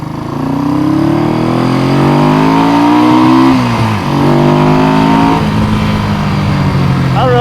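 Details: 1971 Honda CB350 twin said by previous owner to have low compression, on a test ride: strong, even exhaust note climbs through the revs, drops on the shift and pulls again; healthy with good compression.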